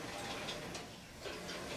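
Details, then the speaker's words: Home-built reverse trike with CBR600 engine after a rear swing arm rebuild for larger street tires: soft swishing scrape about every quarter second with wheel rotation; sticky brakes, pads rubbing the rotor. "hear that they are rubbing but hopefully that'll uh fix itself"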